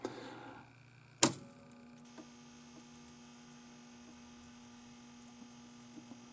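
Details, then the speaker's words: 1981 Atari Tempest color vector monitor, WG6100, at power-on after repair of bad solder: a thump, then steady hum, light chatter and a faint high-voltage whine that sounds normal, though no picture yet; high voltage may be set too low. "heard it that time yeah i can hear it you hear the chatter and i can hear a little bit of a wine that sounds good to me"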